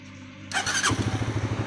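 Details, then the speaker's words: Honda CBR 150 after full engine rebuild and refit: short starter whirr, then catches and settles into an even, steady thump about eleven beats a second; runs healthy. "तो आप इसकी आवाज़ भी सुन सकते हैं, बहुत ही अच्छी आवाज़ आई है इसकी, ये देखो।"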